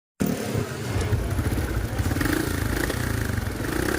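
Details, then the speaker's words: Honda RS 125 single-cylinder motorcycle: uneven running, light fast ticking over exhaust beat, occasional stumble; misfire, tick possibly needing tune-up or from timing chain, usually fixed by tune-up unless timing chain loose. "Pero itong matagiktik, maaaring sa tune up lang or timing chain yan."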